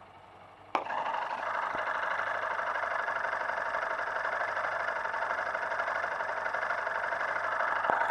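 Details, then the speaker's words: New motorcycle engine idling, said to be running perfectly with no abnormal noise, heard with a screwdriver against the case; steady even hum with light regular ticking about four per second; normal idle. "para você ver que ele está em perfeito funcionamento esse motor não tem barulho nenhum não tem barulho"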